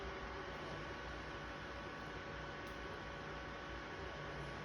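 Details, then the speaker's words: Sony PlayStation 3 fat console running Dead Space 2. Constant loud rushing whoosh like a vacuum cleaner, unchanged over five seconds. Owner is unsure whether this is normal; loud cooling fan noise. "слышите Как пылесос рычит это нормально Может быть я не знаю я уже забыл просто как она должна рычать ой"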